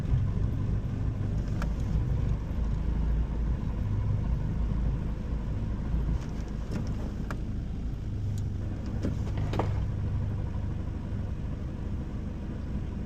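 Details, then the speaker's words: 1996 Honda Civic hatch with JDM B20B non-VTEC swap and GSR 5-speed manual, warm after drive: uneven low rumble at idle, no rhythmic knock; owner suspects input shaft noise, unconfirmed; abnormal noise at idle. "All right, I'mma let it idle for a minute and show y'all what I'm talking about with the Gremlin. You hear the uh input shaft?"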